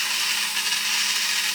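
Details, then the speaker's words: Vintage talking toy robot's walking motor on 2 C-cell batteries, after being spun by hand to loosen the grease. A constant high-pitched buzzy whir with no catching or grinding; a good walker. Normal motor run. "oh, look at it, see, all of a sudden she sprung to life. Doesn't sound too bad."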